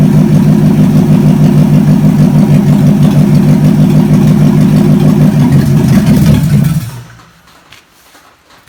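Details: Chevy 283 V8, sat for a while, run on the shop floor after ignition timing advanced a bit: steady even low thump about three beats a second, no misses or knocks, clean shutdown; healthy.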